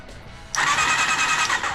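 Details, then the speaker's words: Honda CBR400RR NC29 barn find, spark plugs removed so no compression: starter spins the engine fast and evenly with a steady high whine and no labouring; electrical switch faults noted separately. "sounds happy it's actually cranking quing quank quing quite quite fast there's no plugs in it so there's no compression"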